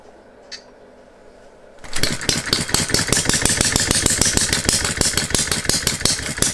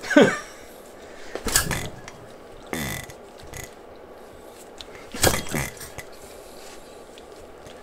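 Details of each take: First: Philip Duclos Odds n Ends hit-and-miss model engine running on a Viton-ring piston after the cast iron rings failed to seal, with the governor disabled: it catches after a quiet tick, then gives quick, fairly even sharp firing beats. It runs okay, though the governor needs stronger springs. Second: Philip Duclos Odds n Ends hit and miss model engine, first assembly and trial run with homemade cast iron piston rings; several short cranking bursts with no firing: no-start, concluded low compression, likely piston rings not sealing.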